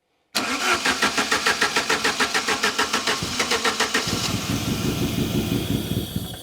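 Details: Saab 900 Turbo Commander that sat 10+ years, Bosch K-Jetronic injection; the air-flow plate is held up by hand to force fuel, and weak pressure to the fuel pump is suspected. Cranks about twenty beats, catches near four seconds, then runs lumpy with hunting revs, fuel-starved.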